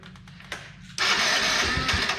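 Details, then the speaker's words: Can-Am that was submerged in water, cranking with starting spray: weak clicks, then a sudden harsh whirring grind; something sounds wrong inside, starter suspected as needing replacement, cause unknown. "oh well we need a starter damn something doesn't sound good in there"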